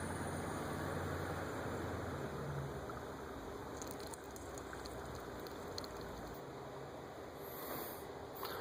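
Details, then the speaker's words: 1998 Chevrolet Lumina 3.8L V6 after water pump replacement, refilling coolant: quiet engine hum under soft hissing and sputtering spits as trapped air and some coolant blow out of the bleeder; air purging. "there was some little bit of coolant spitting out of there and some air you can hear the sound of air but uh just keep add coolant till you hear air rushing out and you see some sputtering of coolant"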